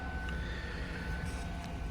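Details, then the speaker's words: 2011 Chevy Silverado Hybrid 1500 4x4 after a no-start with a dash lock light and code B1380-06, fixed by replacing a blown 5 A DLIS fuse (#35) in the engine bay: engine fires and settles into a quiet, steady low rumble without stalling; running normally. "i'm gonna turn off this car see if it'll start up from probably unnecessary but let's check this out just that little fuse sure enough fire's right"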